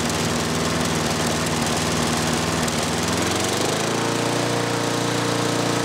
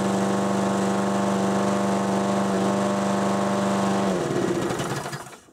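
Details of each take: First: 6 hp Briggs & Stratton mower on Murray deck after governor rod bent and spring shortened: idles low, climbs to higher steady hum then drops back; normal running at raised governed speed. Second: 6 hp Briggs & Stratton mower engine on a Murray deck at wide-open throttle before governor adjustment: steady, even, fairly low buzz held flat, then winds down; governor caps top speed too low.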